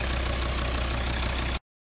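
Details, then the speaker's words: Volvo S60 after repairing a water-damaged green cable that caused an immobilizer fault and lost module communication: a steady, even, smooth idle with no misses or knocks before shutoff, and no fault codes. "Engine working, no fault codes, everything nice."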